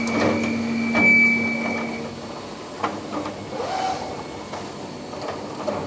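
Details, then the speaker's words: Flex CNC mill chip auger carrying away drilling chips after Tungaloy DrillMeister drilling 2" UNC holes in plate steel: steady low hum, thin high whine, scattered chip ticks; running normally. "that noise you guys hear is the augur all those drilling chips down there"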